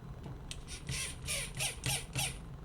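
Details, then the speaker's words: Sony WM-EX505 walkman mechanism with the motor reassembled before lubrication: high, chirpy, scratchy squeaks about three a second. The dry, unlubricated metal-on-rubber bushing/bearing is dragging; oiling is intended to cure it. "Hopefully after I will put some oil we won't have this sound, so I want to demonstrate you how important it is to lubricate very well all the bearings, the bushing, I don't know how to call this, I think it's kind of bearing."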